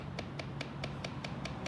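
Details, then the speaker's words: 2010 Dodge Charger 3.5 L V6 at idle: light, crisp ticking about five times a second that occurs only at idle; rattle traced to worn rear rocker arm assembly on the driver's side, fixed. "it only does it at idle you don't rev up real loud when you speed up it just kind of rattles like that"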